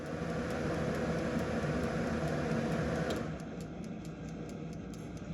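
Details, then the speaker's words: In-wall spring-wound fan timer after repair (gears lubricated, dust blown out; old thickened grease suspected): fan hum cuts out, then steady quick ticking about four per second continues as spring tension relieves; working properly. "And you can see here that the clicker is still running, which is a good sign. Should run for a little bit after the fan shuts off just to relieve all the spring tension."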